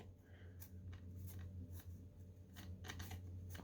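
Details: Eufy 30C robot vacuum that spins in circles: dry, irregular snapping clicks, roughly three a second, as a drive wheel is turned by hand. A gear in the wheel drive has broken teeth.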